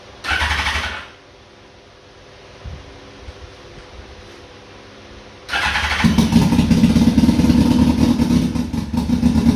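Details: 2002 Yamaha Fazer 1000cc four-cylinder motorcycle, cold start after sitting over two months, carburetor cleaned: brief cranking, a pause, then it catches and settles to an even, steady idle with no misfire; all four cylinders working.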